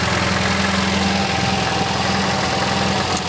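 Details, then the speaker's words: MGB with Lumenition optocoupler electronic ignition, after the ignition module was repaired and its connector reinstalled: steady, even idle with a smooth unbroken beat and no misses or stumbles, running very smooth; normal idle. "so as you can tell the engine is now running very smooth"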